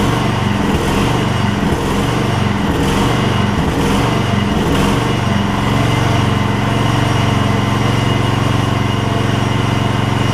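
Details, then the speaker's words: Gravely 16 Professional walk-behind mower after sitting a while, fuel pumped up to carburettor and a little carb adjustment: small single runs steady and even with firm low putter, no misses, knocks or hunting; runs like a top. "we're gonna put it out here say the PTO will work that thing runs like a top that's amazing just a little carb adjustment work"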